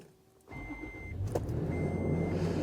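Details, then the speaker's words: Toyota FJ Cruiser started in a 37-degree garage right after the engine bay was washed down with water and Simple Green: short crank, catches first time, steady smooth idle, no stumbling, same as when dry. "First time, just like it did an hour ago when everything was dry."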